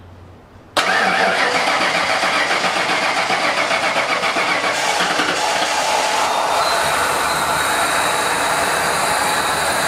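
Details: 1989 Ford F-150 EFI with dual tanks, fired up after the tanks were serviced and something loose was fixed: starter cranks briefly, engine catches cleanly and settles into a steady, even idle with no misses or knocks; normal start.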